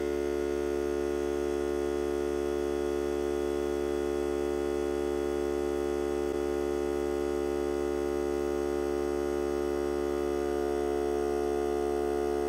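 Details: Hart cordless battery air compressor during break-in testing while supplying a regulator: constant, even motor drone at one pitch, no knocking or surging, recharging the tank; about 1 minute from cut-in to cut-out, max 125 psi; normal running.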